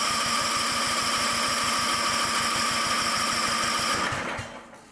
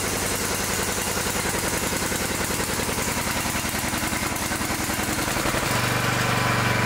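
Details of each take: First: Newer Cub Cadet mower with Cub Cadet's own Chinese-made single-cylinder engine and electronic Intella Power throttle; chugs about three beats a second, lumpy and uneven, then dies and won't restart; running rich from a clogged air filter. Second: Newer riding mower single-cylinder engine with electric throttle, after a fouled plug and a plugged air filter that made it run as if choked: steady even chug, smooth idle, no misses.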